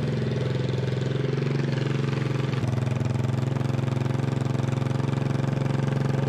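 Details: 1988 Honda TRX200SX single-cylinder engine on the bench just after full rebuild (cylinder bored .020 over, new crank bearings and seals, replacement case, JB-Welded stator cover): even putter around 220 beats a minute, steady, no knocks or misses; healthy idle, runs like new.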